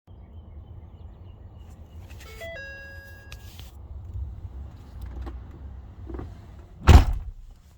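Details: 2012 Ford F550 after an EZLynk firmware update: at key-on, a single short stepped chime over a quiet cab, the trailer brake module warning; truck then needs about 3.5 minutes before it will start, fuel pump not running and starter only clicks.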